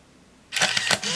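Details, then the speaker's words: Olympus Infinity Jr 35mm point-and-shoot, self-timer test: short buzzing whirr as lens drives out to focus, sharp shutter click, light motor hum; cycles normally. "And in order to do that, you hold that down while you push the shutter button, and this red light comes on right here, and we'll just watch it finish its cycle."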